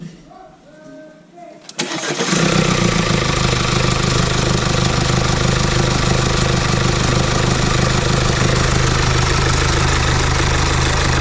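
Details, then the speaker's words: 2017 Mercedes E-Class with 654 diesel engine starting and idling loudly with constant metallic rattle from a worn timing chain, loud on cold starts and still audible warm, before timing chain replacement. "As you can hear, it's very loud, and timing chain failure could cause catastrophe."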